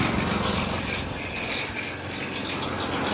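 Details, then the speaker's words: Small engine on vintage gold trommel wash plant driving a water pump, slowed with larger pulley after starter clutch repair; even hum with steady water rush, no longer pulsy; steady pump flow. "Now I got water in the chute. And it's more consistent. It's not so pulsy."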